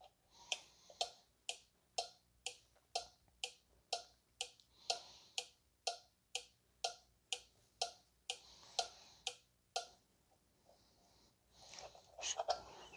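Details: 2014 VW Tiguan 2.0 TSI being checked for a parasitic battery drain: a four-pin relay (part 7M951253A) on a relay tester that applies a 7 A load, powered from a separate battery. Crisp, even clicks about once a second as it pulls in and drops out; it switches cleanly.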